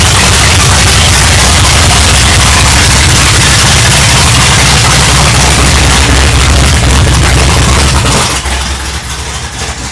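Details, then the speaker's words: A third-gen 1982 Chevrolet Camaro, parked from 1992 and last run probably in October, has a loud, lumpy idle with a loping beat that sags as if about to stall. This is its first cold-weather start; the engine is cold-blooded. "um she's a little cold-blooded it's it may even stall out i don't know how it runs in the winter um because it's the first time we've actually fired her up in the cold sounds like she's actually about ready to die out"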